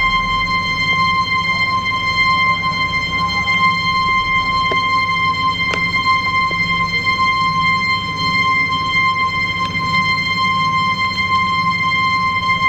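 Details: Ball float valve: a continuous, high, pure whistle around one kilohertz with thin overtones and no change in pitch. Float valve whistling, cause unknown.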